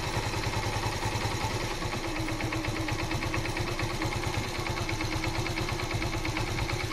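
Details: 10-year-old Yamaha FZ 150cc, bought second-hand; steady single-cylinder thump at a settled idle, firing evenly with no misses or hunting; normal idle.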